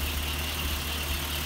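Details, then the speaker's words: 1938 Chrysler engine after tuning of idle mixture, condensers, cap, rotor, wires, plugs, points, timing and dwell: low steady idle with an occasional uneven exhaust beat, a slight miss; compression test found one low cylinder. "It is what it is. I'm not mad. I got one low cylinder."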